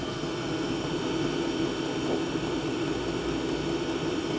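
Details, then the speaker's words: Diesel parking heater combustion-air intake with the silencer removed, up to 80 dB measured. Steady, bright roar with a fine buzzy edge and no rhythm change; intake noise with the silencer removed. "Bis zu 80 Dezibel habe ich hier gemessen. Das ist schon deutlich lauter."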